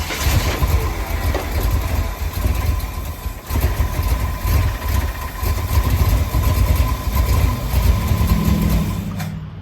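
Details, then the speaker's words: 1965 Ford F100 on 1974 highboy chassis, carbureted V8 supposedly a crate 390, timing bumped up: it still idles low and lumpy; owner suspects an error in his carburetor rebuild, not confirmed. Rough idle. "I ended up pulling the carb back off of this thing, It just wasn't running right, and I thought maybe I did something wrong when I rebuilt the carb."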